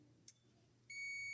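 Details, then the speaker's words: Multimeter continuity test on emergency call button terminals B and C: faint click, then steady high-pitched beep as button closes; continuity confirmed. "So between the B and the C, on the B, that's the one we want to use. Hear it beep when you push the button?"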